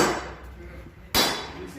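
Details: Mazda 626 Cronos: two sharp metallic clunks as the ball joint is rocked by hand; known weak spot, worn steering knuckle (цапфа) no longer holds the ball joint.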